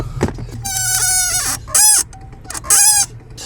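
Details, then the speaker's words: Clutch pedal squeaking three loud, high rubbing squeaks per stroke from a dry pivot joint connected to the clutch pedal; WD-40 tried, greasing the joint made the squeak go away. "that joint right there that's connected to the clutch pedal I don't know if you can see it moving that needed grease hella"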